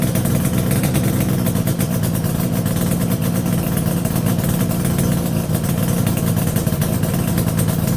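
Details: Yamaha RD350YPVS F2 two-stroke twin after full rebuild (bearings, seals, rebore), plugs retightened after being loose on first run; even low burbling idle with steady pulses, no knocks, rattles or whine; normal idle.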